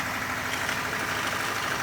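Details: 1994 Ford Escort 1.6 petrol idling roughly with a busy clattering rattle; owner reports knocking from the gearbox, and an active oil leak was found. Cause suspected, not confirmed.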